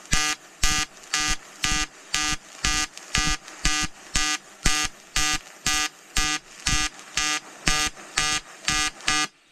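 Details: EWM Tetrix XQ 230 Puls AC/DC inverter TIG welding 5000-series aluminium corner joint: 2.4 mm lanthanated tungsten, 2 mm filler, pulsed AC. Steady buzzing arc swelling and fading about twice a second, regular rhythm; normal pulsed AC TIG arc.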